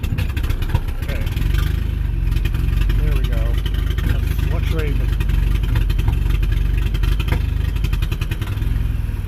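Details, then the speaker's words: Slow, lumpy idle around 500 rpm with no throttle, irregular hit-and-miss beat like only one cylinder firing; misfire from fouled spark plugs, after Sea Foam treatment. "I'm not giving any gas it's like one cylinder pouring it totally flooring it come on come on come on 500 RPM"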